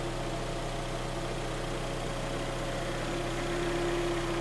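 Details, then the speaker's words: Kia Sportage 3 gearbox under the car: cold automatic transmission hums intermittently at idle, stopping and starting; faint even hum that disappears when Drive is engaged and should stop once warm; considered normal design trait, not oil level. "поднимаем автомобиль смотрим снизу вот коробка гудит снизу слышно то перестаёт то гудеть начинает то перестаёт то гудеть"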